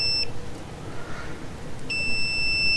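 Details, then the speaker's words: Mercury Force outboard power trim fault, continuity test on the trim relay with the lead moved to the other side: beep cuts out about 1.5 seconds then returns as the relay switches; both relays good, but blue gets no ground in down position. "See, it's breaking the continuity. Okay. So, somehow what's happening is both relays are good."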